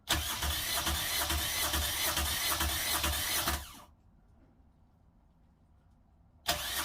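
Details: Newly installed Fischer Panda diesel genset in a Tiara boat, replacing one locked up by water intrusion, first start after wiring and antifreeze fill: quick crank catches straight into steady, even running, then cuts out cleanly; normal start.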